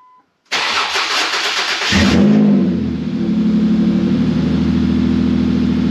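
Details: Ford Mondeo ST220 on its first start after a fuel pump upgrade and new fuel filter, tank only loosely bolted up: a short crank, then the engine catches cleanly and settles into a steady, even idle with no misfire or stumble.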